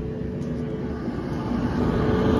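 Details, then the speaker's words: Whirlpool Cabrio WTW7300DW0 dryer after rebuild with five new parts (thermostat, drive belt, idler pulley, rollers and one other part): started and running with a steady, even drum rumble, no thumps, squeals or scraping, tumbling smoothly. "we're going to press start it sounds great runs great sounds real smooth"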